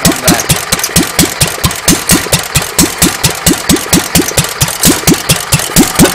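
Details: Unrestored Petter A1 stationary engine with original air filter, slow-running screw not yet adjusted: slow single-cylinder chuffing with slightly irregular beat between firings; tickover a little uneven but keeps running.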